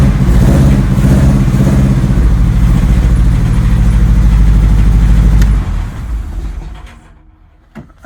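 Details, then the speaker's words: Acura Integra running a chipped GSR ECU, with aftermarket injectors of unknown size: a rough, lumpy idle with an uneven low chuffing beat about three per second that stumbles and dies. It sounds like a bad misfire; the cause is unconfirmed. "sounds like a bad misfire oh man my eyes are on fire"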